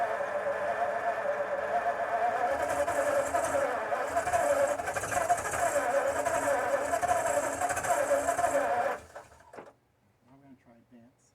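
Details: 1952 Ford F-1 first start in 28 years, with a rebuilt carburetor and PerTronix electronic ignition, timing just readjusted: even cranking chug about four per second with weak sputters that never catch; flooded by too much choke, needed more air.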